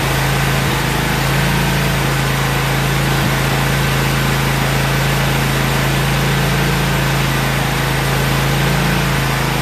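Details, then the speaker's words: About a year old commercial Toro zero-turn mower, twin engine, with new spark plugs: steady idle with a slight uneven lope; pulling the choke out slightly for extra fuel helped smooth it, but it is still not perfectly clean. "what I was doing there is pulling the choke out just a little bit just to see if a little extra fuel to help it smooth out it did make a difference"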